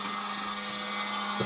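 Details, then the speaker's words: SG-235 Smart Tuner after repair (relays, latching driver chips, op amp, charge pump and mixer replaced): steady low hum, a high whine and a brief clunk. It sounds weird, and another problem is suspected. "that sounds weird okay we may have another problem here"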